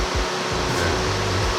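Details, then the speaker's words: Fiat Uno Turbo under restoration: the radiator fan starts the moment the battery is connected and runs constantly with a continuous whoosh and slight surging. A stuck fan switch is suspected, possibly why it had been found unplugged. "might be the reason why it was unplugged because perhaps it was stuck on and he's just gone yeah i'll unplug that that sounds right but at least for another fanny's worth at least we know the fans are working"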